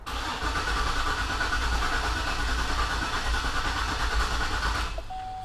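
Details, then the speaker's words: 2004 Cadillac Escalade at about 208,000 miles, battery on charger: steady, even cranking for five seconds with no firing, a crank-no-start caused by a failed crankshaft position sensor. "I would say cranks and cranks and doesn't start"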